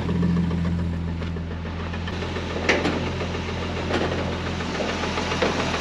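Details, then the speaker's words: 1963 Ford Falcon Ranchero on test drive after wiring, exhaust work: steady low engine drone with irregular knocks when steering; something hitting fan, found pushing on bottom of oil pan, possibly wrong engine fitted. "Let's see what's hitting when I turn the tire. Sounds like something's hitting the fan."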